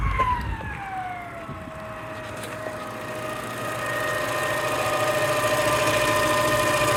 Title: 2016 Toyota Camry weird engine noise